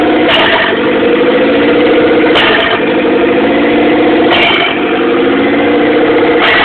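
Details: 1997 Eclipse GST with FIAV bypass plate, EGR block-off, vapor canister and vacuum lines removed, EVO III 16g turbo, manifold, O2 housing, no downpipe: idle surges up and down about every two seconds; cause unknown.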